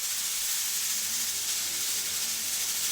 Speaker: So now the pressure cooker is up to pressure, and as you can see, steam is starting to escape and you can hear it hissing.